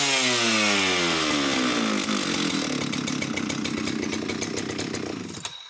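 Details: Oleo Mac 272 chainsaw screams at high revs, then winds down smoothly toward idle with even firing. Owner notes only an odd occasional misfire, perhaps from lack of use. Normal running.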